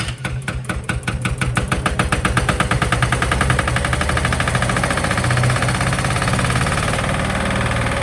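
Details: Sykes GP80 diesel water pump with a Lister TR1 engine, bought at auction, first start after starter motor repair: starter cranks with fast steady chuffing, then the diesel catches and settles into an even, regular idle with no knocks.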